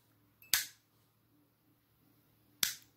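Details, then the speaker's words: Used fluorescent lamp recovered from a recycling bin, electrodes burned, starter flickering: two sharp isolated clicks about two seconds apart as the starter tries to strike the worn-out tube, which never lights. "L'autre elle est bien cramée parce que ça n'arrête pas de clignoter. Elle a dû clignoter un moment, celle-ci quand même."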